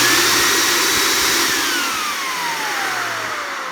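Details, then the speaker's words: Esteam E250 spotting machine vacuum motor, about 75 inches water lift, no corrosion: airy whine sinking smoothly as it coasts down, no grinding or rattle, bearings sound good and tight. "as it winds down you don't want to hear any um that would be a bearing noise this one sounds good and tight"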